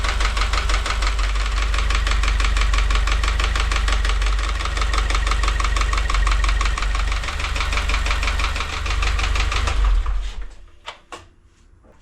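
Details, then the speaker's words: 2016 Subaru WRX FA20, after rebuild and IAG oil pickup install: ticking noise is back, rapid fairly even ticks about three per second over idle until shutdown; owner knows it's in the head but not where. "Well, the noise is back. I got this stethoscope. I know it's in the head, but where?"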